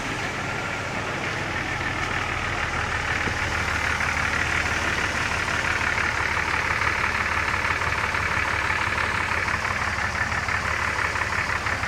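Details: Engine catches and settles into steady idle with fast, uneven ticking over a hissy top end; weird engine noise, cause unidentified.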